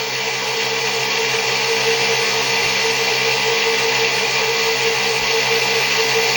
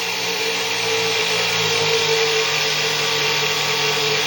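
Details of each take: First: 6-pole zero force motor (ZFM) with wider 1.5" neodymium magnets and a roughly 1/8" magnet-to-coil gap, running unloaded at 48 V with one firing-circuit leg disabled: a fast, steady bright whine with a faint uneven flutter, suggesting a slight rotor imbalance. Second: Six-pole zero force motor, wider 1.5-inch neodymium magnets, about 1/8-inch coil gap, 48 V, started near 4000 rpm then loaded: steady lower-pitched electric whine with faint hum, motor pulled down, BEMF pattern widened; slowing under load.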